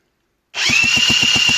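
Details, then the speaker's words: Honda NH80 Vision two-stroke scooter under restoration, cylinder barrel recently repaired: cranked on the starter, not fired, steady high whine with even compression pulses about eight a second; shaft rotates correctly; normal starter cranking. "it is going round so everything seems to be doing its thing correctly"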